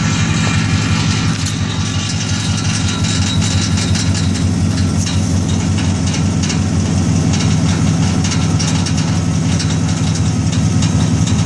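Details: 2001 Chevy Silverado pickup: intermittent gritty grinding that comes and goes underneath, close to the transmission, over a heavy low rumble while running; cause not pinned down.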